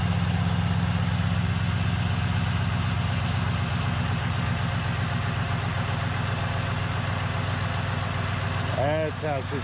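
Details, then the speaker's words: 2001 Cadillac DeVille cold start after new starter: strong, even low rumble with steady firing rhythm, no knocks or misses; smooth, healthy cold idle, owner says it sounds and feels good. "go biggie come on baby sounds good all right see i've got the power oh good sounds good it feels good"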